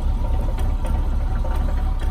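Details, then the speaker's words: Mahindra Roxor diesel, about 21 hours and 96.3 miles, cold start after polar-vortex outdoor storage at about -5°F: uneven, lumpy idle with a slight stumble; rough from sitting, left idling without throttle to warm up. "it's kind of rough from sitting but you just let it idle let it do its thing"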